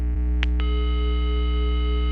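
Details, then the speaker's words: Intelbras Conecta PBX, capsule probe at the matrix input: clean, steady continuous tone, not yet the broken extension tone, with no hiss or crackle; normal dial tone. "Chegando o tom normal, ó, com a cápsula. Só que ele é um tom contínuo, não é bipartido."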